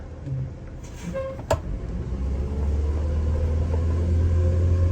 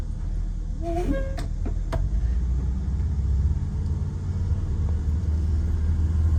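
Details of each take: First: Prevost bus with Detroit Diesel 8V92TA DDEC2 after new injectors cured the surge, accelerating from a stop in drive: deep diesel rumble building smoothly with no stumbling, a bit slow off the line but pulling well; normal acceleration. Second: Prevost bus, Detroit Diesel 8V92TA DDEC2, no check engine codes, pedal to the floor: deep flat drone that barely climbs, surging and labouring, max 15 psi boost; faulty injectors, new injectors cured the surge and gave 22 psi.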